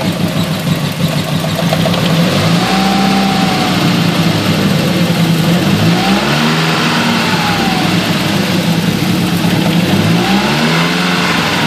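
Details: Nissan CA18DET petrol engine: shaky misfire and very rough, lumpy idle with a few brief revs; unplugging coil two makes no change, though it has spark and fuel.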